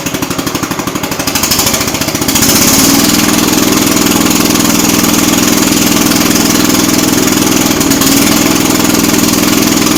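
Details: Jacobsen Chief 800 garden tractor under restoration, started on choke with idle turned up: rough, loping idle about three beats a second with uneven pulses and dips; owner concludes the carb needs adjusting.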